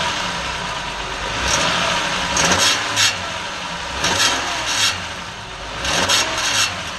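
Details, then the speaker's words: 2005 Honda Odyssey idling, mic under the engine: nasty tinny rattling buzz in uneven bursts from the catalytic converter heat shield, broken loose at its bolt; temporarily fixed with wire. "it's got a pretty nasty rattle type Buzz sort of tiny kind of noise and it's coming from the heat shield on the catalytic converter"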